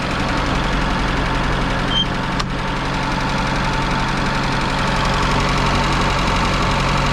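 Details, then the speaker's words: Restored 1978 Islander Bahama boat engine with one hour since the work, idling after start: steady, even low drone with a smooth firing rhythm, no knocks or rattles, nothing leaking; running healthy. "You can hear she's humming along and running just fine."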